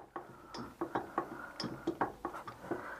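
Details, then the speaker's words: Citroën 2CV AZLP6 rear right wheel, car jacked up, wheel turned by hand: irregular dull ticks about once a second, same noise heard while driving; play at the wheel. "voilà vous entendez le voilà ce que j'entends à peu près quand je roule"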